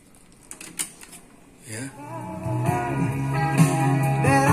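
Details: Cassette deck after the squeal fix (a small, snug tissue piece added behind the worn pressure pad so it presses on the head): after a few handling clicks, music plays steadily and cleanly with no squeal.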